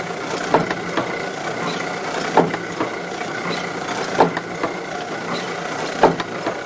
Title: Kluge, 14x22, die cutter, foiling, Kluge Press making Noise when Cutting